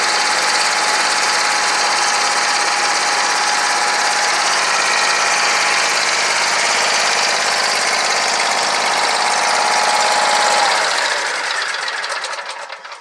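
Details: Scag Tiger Cat II zero-turn mower, Kawasaki FX691V V-twin, after bent pushrods, broken rocker holder, stuck choke and clogged fuel filter fixed and valves adjusted; even, steady run with clean shutdown, previously backfiring on one cylinder, now normal.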